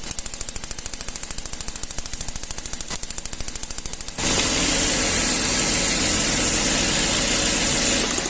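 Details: Gasoline Toyota engine with pinging (cascabeleo) and strong engine tapping: sharp, even tapping about three per second at idle, turning into a harsh metallic rattle under throttle. Ignition tester shows current leakage at plug cables. Coil output towers found damaged.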